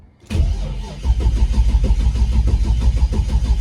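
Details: Holden LX Torana V8, long left sitting outdoors, first start attempt off the trailer; deep, fast, even cranking that turns over freely but never fires. Cause suspected, not confirmed.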